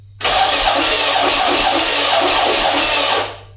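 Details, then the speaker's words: Turbo VW Beetle engine cranked after reinstallation with the battery connected but the computer unplugged: it spins over briskly for about three seconds with even, regular compression pulses and no catches. Healthy cranking, better than ever before. "That sounds so much better than it ever has."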